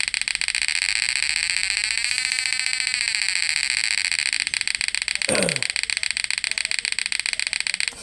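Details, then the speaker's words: Repaired PDC 12F mini electric fish-shocker inverter, previously no output with relay clicking: high buzzing pulse about two and a half times a second, steady and even; inverter output and frequency normal. "ggak pincang, Guys. Out inverternya itu enggak pincang. Frekuensinya juga enggak pincang normal. Alhamdulillah alatnya sudah berfungsi dengan baik ya."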